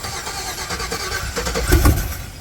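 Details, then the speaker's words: Black truck, first crank after hooking up the battery and vacuum lines. The starter cranks briefly and the engine chuffs a few times but won't catch. Judged to be lacking fuel pressure in the line; it later starts. "it's there bro just get some fuel to the line you just need fuel pressure so try it again"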